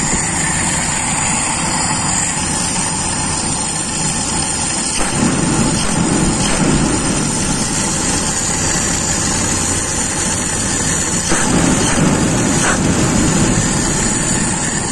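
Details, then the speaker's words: Toyota Kijang with Aisan carburettor after disassembly, restarted warm with nothing changed, idle air screw three turns out from closed: idle hunts unevenly and sounds unstable, so the air setting is to be checked; cause not confirmed. "dari suara sepertinya tidak stabil kita tes cek dulu setelan angin"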